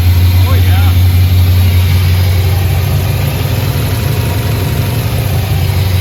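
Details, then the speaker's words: 2004 Pontiac GTO with built HCI 6.0 V8 on first start, very little fuel, untuned, MAF untuned; deep even V8 rumble holding about 1100 rpm, no misses or ticking, runs really well; normal idle. "all righty guys well I'm beyond stok that we finally got to actually hear the six lit run and it runs really really well"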